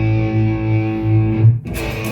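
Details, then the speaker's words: Carvin MTS-3200 100-watt tube amp, lead channel with drive at midday and volume at four of ten, humbucker pickup; chords come out thin, scratchy and buzzy, like a sick fuzz with almost no volume, a weak drive channel fault. "oh wow okay um i don't know how to describe that other than sounds like a really sick fuzz [Music] there's no volume right"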